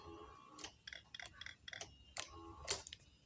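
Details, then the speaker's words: Fuel-injected motorcycle at 15,000 km, fitted with a deliberately weak battery; starting fails after sitting overnight, with the LED lights flickering. Each press of the starter button gives only a dry, scattered click with no cranking; starter clicking from a weak battery. "Saya coba starter. Oke, masalahnya seperti ini dan lampu LED-nya berkedip-kedip."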